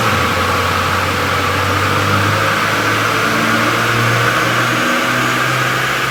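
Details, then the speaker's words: Toyota N70 Hilux with new Raptor supercharger and fuel pump, warming up on factory ECU base tune before retuning: even, smooth engine note lifting and settling with revs; runs healthy. "I'm just warming it up uh with the tune base set M thing that you want to call I guess the factory tun Inu uh just get it warmed up"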